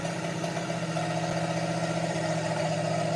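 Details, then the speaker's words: Project Mustang that ran badly then stopped with a squeak and halt, now running: steady idle with uneven, stumbling beat and faint squeak, sounds like a cylinder missing; owner first suspected timing, cause unconfirmed. "Sounds like it's missing. Well, and that's what I thought. I thought it was just a timing problem, but"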